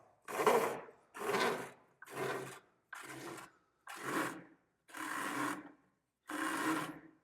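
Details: 2024 Polaris RZR XP 1000 with the primary clutch reinstalled and torqued to 96 lb-ft, clutch turned by hand: seven slow, even rasping strokes about once a second; ordinary CVT belt rub, perfectly normal.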